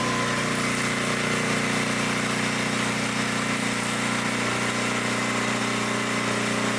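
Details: 1972 Dayton 3,000 W electric-start generator, sat unused for 30 years, running after reassembly during an RPM check: a steady, even drone with no misses, knocks or surging, sounding healthy and settled.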